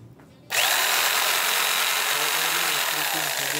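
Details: Jigsaw after no-power repair, guide reinstalled, final blade test: even steady high-pitched buzz, clean start, no knocking or wobble rattle; normal running.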